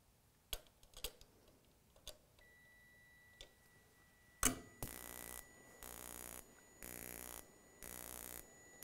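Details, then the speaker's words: Gas furnace intermittent pilot ignition, spark igniter doubling as flame rod, pilot ground wire issue: scattered clicks then rhythmic rapid sparking about once a second with no burner roar; module can't prove flame, main gas valve not opened. "you hear how it has a problem there it was getting ready to allow the meain gas to flow through but now it's not right now it thinks us there's no there's no gas there it's not lit basically there's no flame"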